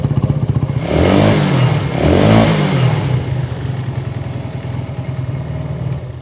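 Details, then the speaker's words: 1980s Italjet Skipper 125cc motorbike after fix, tank cap off: single picks up cleanly through two quick blips, then settles to an even, steady idle; running normally. "Well, that seems to be working just fine."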